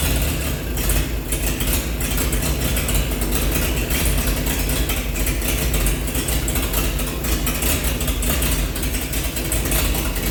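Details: 1948 Chevy truck engine, not run for 30 years, diesel fuel in the oil pan, new coil fitted: deep steady idle rumble, no clear knocking or missing; running good, slight steam from thermostat housing.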